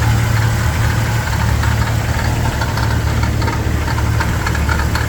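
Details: Jeep TJ: loud, deep idle with an uneven rattle, about two beats a second, source unclear; rattle at idle.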